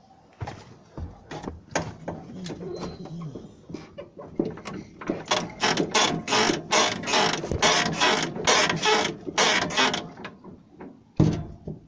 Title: Скрип подвески